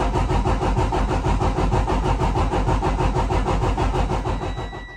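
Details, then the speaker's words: 2009 Freightliner Cascadia diesel at 1,061,891 miles, cranking during a compression test: even three beats a second with matching chuffs, compression sounding even across cylinders; results judged good for a million-mile truck. "There are the results of the compression test. Not bad for a truck with 1 million miles."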